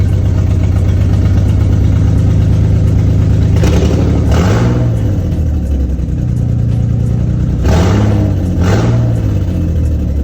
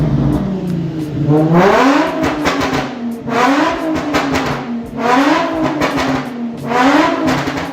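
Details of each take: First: Drift car V6 (Project Seat Time Z) at first start after engine and transmission install: lumpy, uneven idle with a shaky beat and ragged blips when revved. Two ignition coils were wired backwards, so it ran on four of six cylinders. Misfire. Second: Drift car V6 (Project Seat Time Z), weeks after first start, with the two backwards-wired ignition coils corrected and all six cylinders firing: four clean rev sweeps rising and falling evenly with no miss or stumble. Normal revving.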